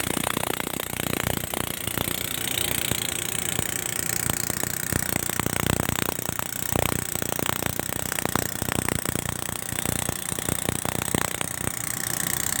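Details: Idling diesel locomotive RGE 20 5117 stationed at Baleli railway station: an uneven stream of sharp knocks and clatter over a loud hiss; strange noise, cause unclear.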